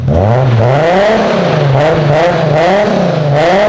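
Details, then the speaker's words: Four-door JZ six-cylinder car, warmed up: smooth rise and fall through repeated blips, even and crisp, quieter though still a little loud, no drone or rattle; normal free revving. "it's so nice to hear this thing actually sound like a Jay-Z it's quiet I mean it's still a little loud"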